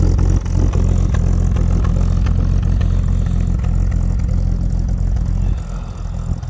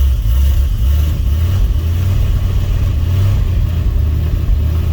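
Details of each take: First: Fargo/Dodge D100 cold start at night in snow after jump start: engine holds fast steady idle and never settles; throttle stuck open, idle won't come down. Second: 1968 Fargo D100 without choke, cold start at night in snow after 24 hours sitting and needing a jump: deep, lumpy, uneven rumbling idle with no knocks or squeals as the engine runs cold.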